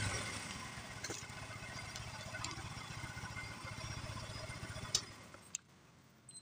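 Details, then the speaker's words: Yamaha Mio M3 scooter after repair of a rough ticking idle: the engine now idles smooth and even with no ticking, then shuts off; the cause was the camshaft and the valve adjustment. "Oke, jadi untuk suaranya sudah halus kembali ya. Jadi permasalahannya ada pada nukin as ya teman-teman, dan setelan klepnya."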